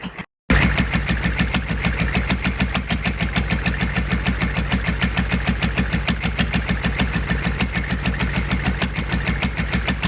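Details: GEP/Navistar 6.5 diesel with Stanadyne DB2831-4911 injection pump and new injectors, run without exhaust manifolds while warming toward 180°F (about 124°F shown): even, steady diesel clatter at idle, regular firing beat, no knocks or misses, good oil pressure; normal idle.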